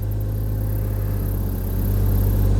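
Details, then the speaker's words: 2002 Trailblazer idling after swapping coils for cylinder three misfire: low steady, even rumble with no stumble or skip, no check engine light, zero misfires; bad coil fixed. "well that's the best that sounded in a long time it's running smooth huh no check engine light okay"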